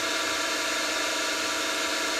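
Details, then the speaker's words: Optimum MB4 geared-head milling machine, spindle running unloaded at 580 RPM: steady, even gear whir with no knocks or rough patches; gearbox sounds smooth and healthy. "Also, not too bad. Uh, let's go to 1,000 RPM. And I think you can still hear my voice."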